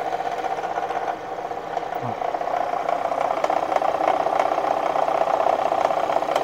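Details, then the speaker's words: Kia engine replaced under recall that began knocking again after about a month, microphone at the water pump; steady whirring drone with light ticking about three times a second over the running engine; water pump bearing noise. "the noise is coming from the water pump so ryan if you want to show this"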